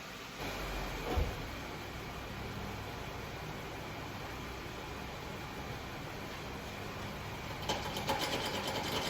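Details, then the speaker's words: 1995 Jeep Wrangler YJ, fuel-injected, unrun for 18 months, dead battery so cables clamped straight to the leads; starter turns the engine over in a quick steady rhythm, about 150 a minute, but no fire or spark; crank, no start, cause unconfirmed. "All right, guys, no dice so far. So turns over, that's good. No fire, no spark, didn't want to do anything."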